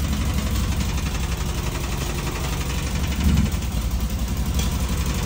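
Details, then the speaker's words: Fiat 126p two-cylinder engine with milky oil; rough, uneven beat faltering as throttle opens, close to stalling, exhaust smoking; owner suspects blown head gasket, loose exhaust or ignition; stumbling under throttle. "gazu dodaje to chc Gasnąć tu się od wydechu dymi"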